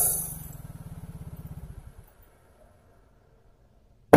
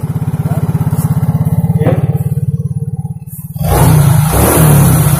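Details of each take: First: Yamaha Mio J fuel-injected scooter won't start; the fuel pump runs, the battery is good and a spark plug is fitted. The starter spins fast and light with no firing, suggesting lost compression, possibly from carbon lodged at the valve; oil is to be poured into the plug hole. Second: Yamaha Mio J automatic scooter after fixing lost compression (oil poured into cylinder via plug hole, kicked over): single cylinder catches at once, even idle thump, two crisp throttle blips; running normally.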